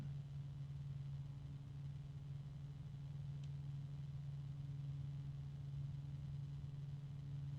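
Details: Phobya G-Silent 14 140 mm 1400 RPM PC fan at maximum speed: steady, even hum with a low tone and fainter higher one, no wobble or ticking; loud, tonal fan with noises in three octaves.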